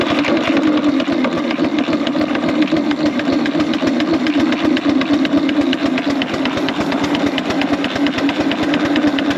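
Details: 4-inch Foster steam traction engine "Dolly", winter steam test after boiler retubing, powered up into big wheel at about 60 lb pressure; fast, steady, evenly spaced exhaust beats with a bright crisp edge under load; chuff a bit better in big wheel, normal beat.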